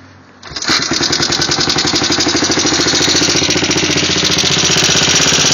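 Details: Yamaha 225DX after engine rebuild running with a fast, fairly even clicking on top, about three to four per second. Cause unknown.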